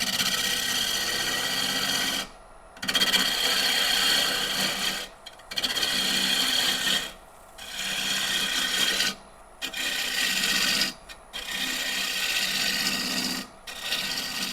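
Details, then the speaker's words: Woodturning a dry apple wood salad bowl blank (marked walnut) on the lathe, shaping toward the tenon: hissing scraping cuts of two to three seconds with short pauses, sound turning rougher as the tool nears the bark, as expected. "You hear that change in sound as I get towards that bark."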